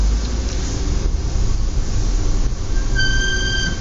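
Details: Audi S4 B8 in low outside temperature: rumbling roll-by, then loud steady high-pitched squeal near the end as brakes bite; extreme brake squeal, cause unconfirmed.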